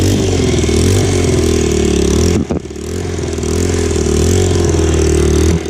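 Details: Single-cylinder motorcycle after exhaust fix, old header gasket removed to stop the leak and rattle, on choke: steady fast-idle thump with one brief throttle dip, no ticking or puffing at the exhaust joint; normal running.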